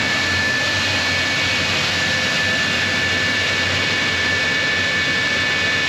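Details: J79 jet engines on a successful ground run after refuelling and fixing leaks, to verify the leak repairs; steady, even turbine roar with a constant high whistle, no surging or pops. Normal jet engine idle.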